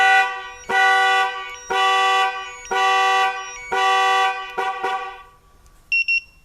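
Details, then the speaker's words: Nissan Armada with a newly installed 2-way alarm: four long horn blasts about once a second, then two short chirps, with lights flashing, as the alarm triggers correctly when the tailgate is opened. "The alarm is activated right now. And you see the lights flashing."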